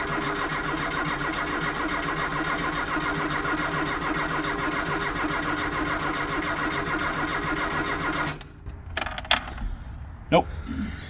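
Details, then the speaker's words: Barn-find Mk2 Ford Fiesta with fresh fuel and a new fuel hose, fuel delivery to the carb unknown: steady cranking for about eight seconds with no coughing or catching; cranks but won't start, spark check next. "put anything anything happening it's not coughing or anything"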